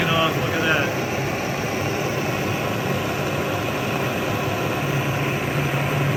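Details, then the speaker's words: Vintage Otto Bernz blowtorch with the valve cranked from a small opening to full: a loud, steady, even rushing roar like a jet engine, with no sputter or popping. The torch is burning normally at full flame. "Let's go ahead and crank it open, see what happens. There we go. It's like a jet engine"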